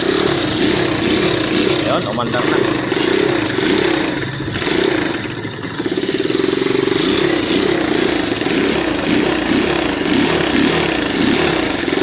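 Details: Honda XR200 with faulty carburetor, hard to start, running only on choke: revs rise and sag unevenly, nearly stalling; idle screw being adjusted, choke left on causing stalls.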